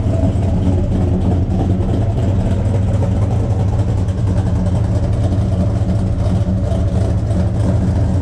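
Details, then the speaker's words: 1972 Buick Skylark 427 V8 at first fire during break-in, exhaust open at the O2 sensor hole, after chasing a loose cylinder 8 exhaust rocker: deep, even rumble at idle that picks up smoothly under revs, no knocks or misses. "take to the r this sounds good oh oh oh oh oh oh oh oh oh probably up yeah what do you think sounds awesome sounds good"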